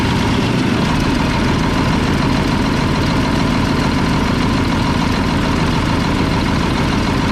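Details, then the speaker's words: Mack tank truck diesel at idle: loud clatter with an uneven beat of roughly two lumps a second, as if one cylinder is missing; a loose injection pump delivery valve is suspected, and it also has exhaust and fuel leaks. "I just realized this delivery valve is loose. That's probably why it's missing."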